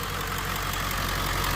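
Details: Ford F-250 7.3 Powerstroke diesel after topping up low oil and adding additive: steady, even idle clatter with no misses or stumbles; runs smoothly, previously wouldn't pull out of the driveway.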